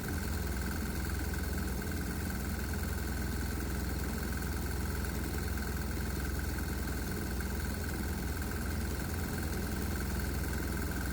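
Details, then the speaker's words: Loaded 196cc 3hp governed diesel, given a shot of propane after a vaporized-water test: a steady thump with loud, hard, uneven knocks about three per second. RPM rises, showing more power, but the propane causes combustion knock. "This engine really likes the propane, but it also causes the engine to knock pretty loud. So it's hard to say if the propane is good or bad."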